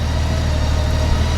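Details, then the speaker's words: Honda Goldwing 1800 idling just after an oil and filter change, on a hot day: deep, steady low hum with an even beat, no ticks or rattles; sounds smoother after the oil change; normal idle. "I can hear the difference in that just with changing the oil. It sounds so much smoother."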